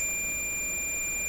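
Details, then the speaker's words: Sony TR712 transistor radio with distorted sound, multimeter on continuity across transistor leads: steady, unbroken high beep for the whole test. "a short circuit indication maybe we're going to hear that"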